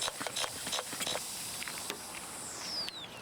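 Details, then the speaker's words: 2006 Toyota Highlander 3.3L 3MZ-FE V6 radiator pressure-tested without coolant: won't hold any pressure, steady high hiss of air escaping with irregular pumping clicks; cap seal checked fine, so radiator end tanks/tubes are leaking and radiator needs replacement. "Theoretically, if the radiator end tanks and tubes had no issues, it would hold pressure. And as you can see, we can't even get it to hold any pressure. You can also very clearly hear the air hissing out somewhere."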